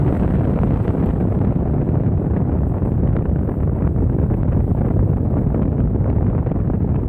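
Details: Vintage Patton high-velocity air circulator fan (U2-1887 18-inch 1988), after motor repair with armature spacers replaced and lubrication: loud, steady rush of air at full speed, no ticking, rubbing or wobble.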